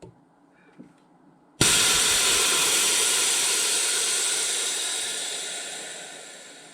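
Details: RIDGID 18V cordless air compressor (Gen5X brushless motor), safety valve pin pulled by hand. A sudden sharp hiss of escaping air fades over about five seconds; the safety valve vents normally.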